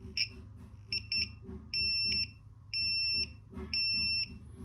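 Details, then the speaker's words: A 5-volt buzzer on an Arduino replaces the LED with the resistor bypassed and no code change. It gives clean, steady high-pitched beeps switching on and off about once a second in a quiet room, working properly. "this is a 5-volt buzzer, so I am just bypassing the resistance, so no need to change any code or anything. So you can see it is working directly with 5 volts, just replacing it with the buzzer, the LED."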